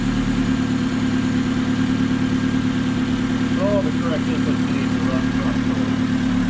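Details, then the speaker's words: Honda engine swapped into a 1976 Mini Estate, after the MAP sensor was plugged in correctly (it had been on the throttle position connector): steady, even idle with a smooth regular pulse, no knocks, misses or hunting. Healthy. "there we go sounds like a nice healthy honda motor"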